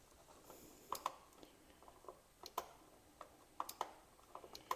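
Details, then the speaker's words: Polaris Sportsman 500 at key-on: sharp, light clicks from the cooling fan relay behind the fuse block, showing the relay works and has power during cooling fan diagnosis. "I don't know if you can hear that but the relay you hear the relay clicking so the relay is working it does have power to it"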